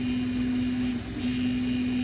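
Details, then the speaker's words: Elegoo Neptune 4 Max 3D printer after clearing a print blob and a clogged extruder: steady mid-pitched hum over faint hiss, an annoying plastic rattle/resonance from the hotend case that goes quiet when pressed by hand; owner plans a new case. "But I think I'm going to have to order a new case because I don't like the sound of that. So if I hold my hand there, it's quiet. Yeah, that's annoying."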